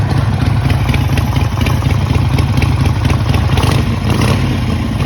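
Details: Harley-Davidson Sportster V-twin with a lumpy idle and a loose, uneven low knock about twice a second; owner asks whether it is rod knock, source not pinned down, cause unconfirmed.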